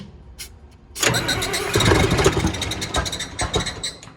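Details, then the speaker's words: John Deere diesel tractor, not-so-cold start on a 78° day: brief cranking, then catches with an uneven, rough surge that takes a couple of seconds to settle; typical Deere hard starting. Cause not confirmed. "typical deer hard starting but we got a solution for that"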